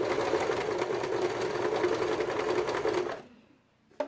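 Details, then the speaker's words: Janome 2008 domestic machine at stitch length 3 on layered synthetic Vintage fabric (1.4 weight, microfiber back): fast rough stitching rattle with labouring hum, then stops; motor straining, stitches come out short but tension good. "Vamos ver no 3. Ah, ó, no 3, ó. Tá vendo esse barulho? É ela sofrendo, ó."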